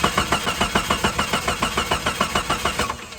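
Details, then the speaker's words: Jeep Grand Cherokee bought as a non-runner: starter cranks evenly about three and a half turns a second for three seconds but never fires; fuel pressure gauge shows no pressure, so a dead fuel pump is suspected, not confirmed. "nothing huh nothing at all we didn't get any fuel pressure from the fuel gauge leading us to assume the fuel pump is not working"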